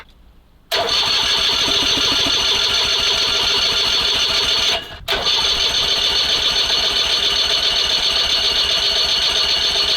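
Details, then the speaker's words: SMZ invalid carriage (motorized microcar) first start after long storage: steady cranking about three to four turns a second that never catches; spark plug found flooded, spark later checked good, ignition timing at TDC instead of 3–4 mm before. "выкрутка кая а свеча залита х Ладно сейчас пальм свечу пропали хорошенько"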